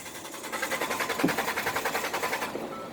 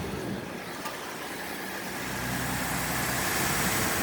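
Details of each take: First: 2012 Ford F-150 cranks but won't start: steady starter cranking at about three and a half beats a second that never catches, caused by a blown fuse; replacing the fuse gets it running. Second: 2012 Ford F150 with a no-start problem, running after the fuse was put back in: engine catches and settles into a steady, even idle with no misses or knocks.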